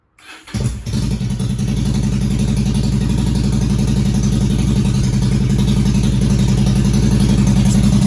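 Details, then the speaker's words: 2001 Yamaha 1100 motorcycle after fouled spark plugs from flooding: catches after a short crank and settles into a steady, even, deep lumpy idle while warming up; runs healthy and smooth. "The spark plugs were fouled up. I flooded it. Now it's running, and let it warm up."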